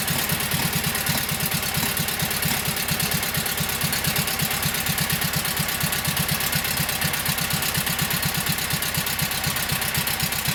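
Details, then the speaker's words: Kohler KT17 twin on first start after rebuild (lost governor), oil pressure 50; steady fast idle with even firing pulses and no knocking, runs right; carburetor still to be tweaked, max speed to be set around 3,000–3,600 rpm. "So not sure what Kohler says for this engine, 3,000, 34, 36, whatever it is, that's what I'll set it to. She runs pretty good."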